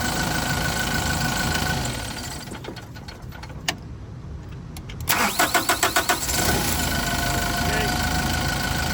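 Engine quiets, a short burst of cranking pulses, then it catches and settles into a steady, even run; starts normally.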